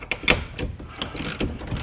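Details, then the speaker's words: 2011 Mazda CX-9 power window motor: irregular ratcheting clicks and clunks as teeth slip; opened up, two teeth were broken off the gear, which was skipping, and a mating part looked rounded off too. "So that sound we're hearing is probably that gear just shifting through there Stripping It's out. stripping and it. not catching it."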